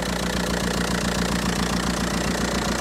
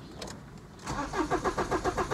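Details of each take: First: Audi A4 convertible diesel with an intermittent running issue, idling during fault scanning: steady even clatter around two and a half beats a second with no odd knocks; normal diesel idle. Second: Audi A4 convertible diesel, intermittent running fault: started earlier off the truck but five minutes later won't start; starter cranks in even pulses about five a second, never fires. Owner suspects injectors shorting or in-tank fuel pump; cause unconfirmed.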